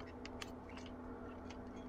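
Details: Traxxas Stampede with a Traxxas 2075 steering servo on a 2.4 GHz receiver, ESC battery disconnected: irregular light ticks and clicks over a low electrical hum as the servo jitters even when unbound; not ESC interference, cause unconfirmed.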